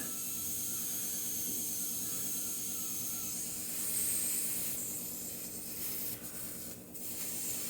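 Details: Shop main heater's hot-water system left unbled after recent work, heater cold: a steady high hiss of trapped air escaping at the radiator bleeder.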